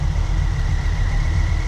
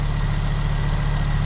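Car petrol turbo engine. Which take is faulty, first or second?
first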